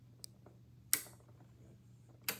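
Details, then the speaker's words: Large eight-pin PCB relay, coil on pins 2 and 7 energized from a power supply: two sharp crisp clicks over a quiet hum as the normally closed contact opens; normal relay operation. "can you hear it is clicking okay additionally you can see the LED in the top saying the code is energized"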